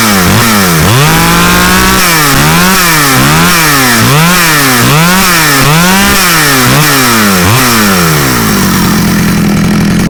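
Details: Stihl 009L chainsaw bought used and said to need fuel lines, on its first outdoor start test: revved repeatedly, climbing cleanly and dropping back to a steady idle with no stumbling, so it runs well.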